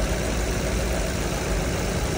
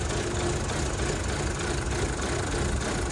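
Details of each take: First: 2012 Chevrolet Cruze LTZ after repair: steady, even low idle with no knock or tapping; rough running traced to a shorted knock sensor faulting the 5V sensor supply, found after three days; engine now idles smoothly. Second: 2012 Chevrolet Cruze LTZ at 229,000 km, brought in for engine knock, running after engine work with a mix of new and old parts: an uneven, shaky idle rumble with no clean rhythm. Rough-running misfire.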